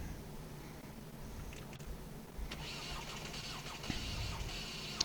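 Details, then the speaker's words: Ford/PSA TDCi/HDi diesel starting right after injector seal replacement: starter churns and engine labors without catching, tone shifting as fuel pushes through, from air trapped in the injectors and return line; it then starts without bleeding. "So you can hear a bit of struggling here, because like I said, we'd have air in the system, but you can hear the tone change as it's pumping fuel through."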